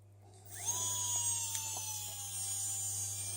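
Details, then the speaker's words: Kärcher WV2 window vacuum after charging fault fixed with an off-the-shelf ~4.2 V battery charging module: motor spins up with a quick rising whine, then a steady high hum; running normally, battery charging again. "you can hear the motor is spinning and if my friend is going to hook up it again the charger you can see it's changed to red and it's charging the battery again"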